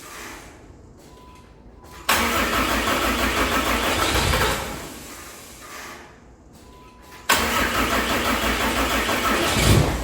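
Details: 6.7 Cummins diesel swapped into hotshot truck, after oil pan work and much fuel dumped: cranking, then sudden roar as it fires, fading out within seconds; starts briefly then stalls.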